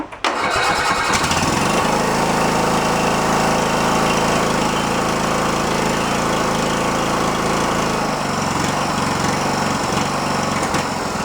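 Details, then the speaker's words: Riding mower with a swapped small engine: cranks, catches and settles into a busy, raspy run with a faint scraping edge from the cooling fan rubbing the tin shroud; it also popped back through the carb once or twice. "something's rubbing on the tin you can hear it and my sheet mails better rubbing on the fan a little bit"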